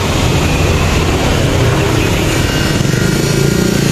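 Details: Fuel-injected motorcycle that kept dying while riding, after fuel refilled: steady, even idle with smooth low beat, no stumble or dying; fuel now feeding properly.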